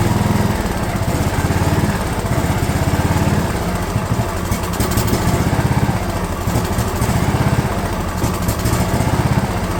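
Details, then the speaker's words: DR all-terrain mower, Kawasaki FV420V engine after years sitting, fuel lines leaking: rough hunting beat that swells and sags instead of idling; owner thinks the carb is flooding, then finds the bowl in bad shape. "it won't idle I think because it's flooding actually"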